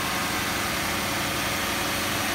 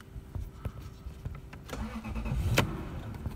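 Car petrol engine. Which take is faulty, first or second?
second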